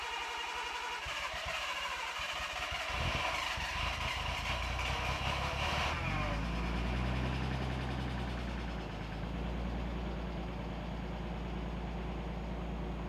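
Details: Car's first start-up in two years on two-year-old gas, started almost right away: rough noise at first, then settles into a steady low idle with no knocks or misses; running clean, normal idle.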